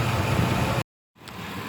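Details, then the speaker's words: 2003 Chevy Silverado 5.3L V8 after replacing the worn AC belt tensioner/idler pulley that had screamed while driving: steady, even idle with no squeal or scream from the belt drive; normal idle, noise gone. "it is running and it is you don't hear any of that noise coming out of it before"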